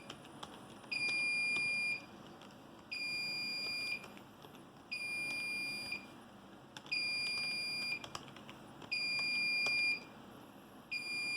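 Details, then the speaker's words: Home theater PC/server RAID array after failed drive replaced, booted before rebuild started; steady two-tone high beep, about one second on and one off, the controller's degraded-array alarm. "And as you can hear, the alarm is once again going off. But, uh, that makes sense since I have not yet told it to rebuild itself."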